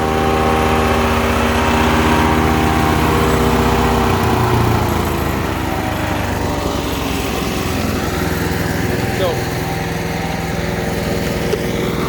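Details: Ducar woodchipper engine running. Strong, even note with a steady rapid beat and no misses, knocks or surging, engine healthy.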